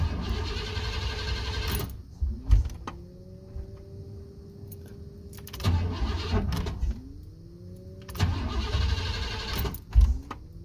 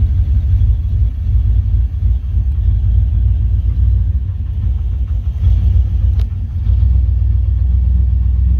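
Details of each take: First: 1988-1998 Chevrolet C1500 pickup, fuel pump kicks on; three cranking bursts with starter whine, engine never catches after heavy rain, cold then hot humid weather. Crank no start; owner suspects moisture in distributor, unconfirmed. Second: 1988-1998 Chevrolet C1500 pickup with 246,000 miles on the original cap and rotor, after ignition repair for a crank-no-start that began following rain and humidity: deep, even rumble with no misses; running better than before.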